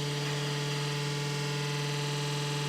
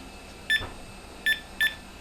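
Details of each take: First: IBM PS/1 486SX computer, long stored in a shed, first power-up: a loud, steady droning hum with a rough edge from the power supply fan, whose bearing is suspected gone. No BIOS beeps are heard. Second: IBM PS/1 motherboard thought dead, with the keyboard plugged in and its lights on: three short, sharp beeps when the delete key is pressed. The board is alive.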